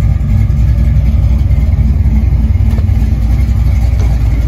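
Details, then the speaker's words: Ford 5.0 302 V8 idling after fixing a roller rocker that came off from improper installation and an under-tightened Allen-key lock, which had knocked like a blown motor; deep, steady rumble, quiet valvetrain, no lifter noise, back to normal. "Wow, I am stunned. It's back to its normal old self. It's quiet, no lifter noise."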